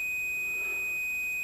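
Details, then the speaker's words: Blackstar HT5R amp with loud mains hum and heavily distorted output: meter continuity test across a discharged large electrolytic filter capacitor gives a continuous beep instead of a brief charging beep, suggesting a short. It later reads about 50 ohms. "No short circuits. We're looking for short circuits."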